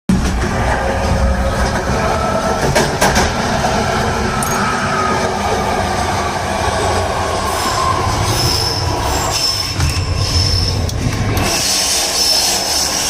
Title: Yellow line BART 3087y brake noise